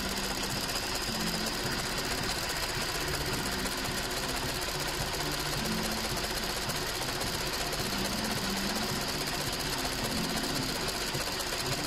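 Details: 2007 VW Golf GT 1.4 TSI twin-charged (BLG) petrol, 6-speed DCT: fast, uneven metallic clatter over steady idle, also when accelerating, progressively worsening; worn supercharger clutch in water pump assembly.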